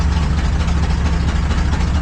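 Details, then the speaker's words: Truck after a new ignition coil: deep, lumpy idle with an uneven pulsing beat and a thump missing here and there, as if one cylinder isn't firing. With foot off the gas it evens out slightly. Misfire; owner suspects timing, not confirmed. "It sounds like it's misfiring. Yeah, it's got to misfire again for sure."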